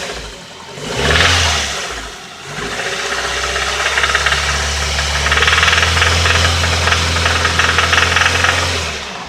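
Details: Nissan engine at idle: heavy, regular knock gets louder with each throttle blip; spun rod bearing.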